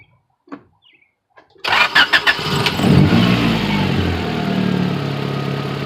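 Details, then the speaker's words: Engine start after repairing an intake manifold leak caused by an improperly installed manifold brace: four or five quick cranks, catches promptly, then a steady even idle; running decent, no fuel or vacuum leaks. "Alright. Seems to be running decent. No fuel leaks. No vacuum leak."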